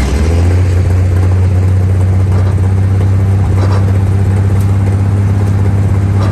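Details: 1947/1949 International 1-ton flatbed truck, sat about 50–53 years, revived, driving off in second gear: steady deep drone holding a firm low note under load, no knocks or misses; old six runs smoothly.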